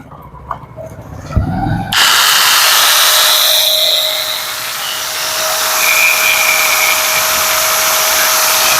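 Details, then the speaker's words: Angle grinder after bearing and gearbox replacement and tightening of its four screws; before repair it was noisy and wandered 5–10 mm when cutting: now spins up into a steady high whine with no rattle, a little quieter, running normally. "तो आप लोग दोस्तों देख सकते हैं पहले से एकदम आवाज थोड़ा कम हो गया है"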